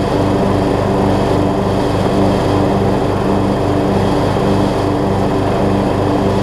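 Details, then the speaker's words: Craftsman LT3000 riding mower with a replacement deck, cutting grass with the blades spinning, gives an even, steady drone with a low regular pulse and no misses or knocks. It stuck briefly at first and needs a few mow cycles to free up. Normal running under load. "Working good, it looks like. It just sort of stuck right there at the beginning because I need to do a few mow cycles to free it up."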